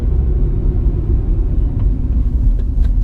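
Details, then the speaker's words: Honda Civic EM2 just converted from automatic to manual, new clutch about 3 miles old, at around 40 mph downshifting to third: only road and engine rumble, no whine, chirp or grind; gearbox and clutch sound healthy. "Clutch and everything feels great though. The pedal, the everything. The shifter, the synchros. I don't hear any like chirping or whining or anything."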